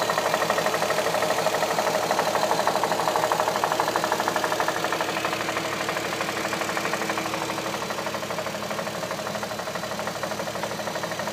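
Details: 2007 Audi A3 3.2 at idle: steady, even knock about three per second riding over the idle, holding its rhythm as the idle settles slightly.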